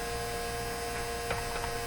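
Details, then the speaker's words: 1957 Chevy Model 561 vibrator-powered car radio during initial alignment, with a capacitor clipped on and the antenna pulled out: a steady, fixed-tone buzz with a crisp edge from the speaker; buzz in speaker, cause unclear. "okay too bad we have to listen to that too just definitely uh buzzing that speaker"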